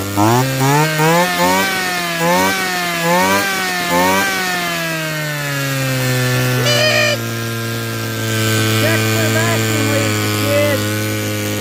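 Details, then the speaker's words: Small petrol engine after fixing a large vacuum leak: quick revs and high run, then sags and stalls left alone; idle still unstable, possibly because it was cold, choke then turned on. "Still got to work on getting her to idle, but hey, she pulls fuel and makes smoke clouds now."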